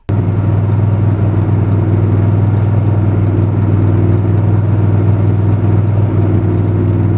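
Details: Miller Trailblazer 325 EFI welder engine with rough idle and throttle surge, persisting after spark plugs, fuel pump and filters were changed; a low, slightly uneven idle beat, blamed on a failed oxygen sensor (Kohler 25 418 07-S).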